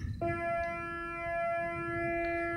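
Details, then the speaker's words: Morningstar SunGuard SG4 PWM solar charge controller on a battery with a 12 W amorphous panel, constant frequency with pulse width varying 0-100%; clean steady electronic tone starts abruptly with phaser-like shimmer. Normal PWM regulation tone. "a varying pulse width sounds like it's a phaser I used to call it a phaser with a pH so that's pulse width modulation in sound"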